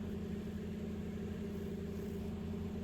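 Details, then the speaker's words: Hyundai Solaris 1.6 G4FC, manual, on gas (LPG), 443,000 km, first start after engine rebuild for piston knock and oil consumption: even, steady low hum with a smooth beat and no ticks or knocks; idles quietly and cleanly. "ну вроде всё перестал пи так работает ровно работает тихо никаких шумов бяков стуков чеков нет пробег 443000"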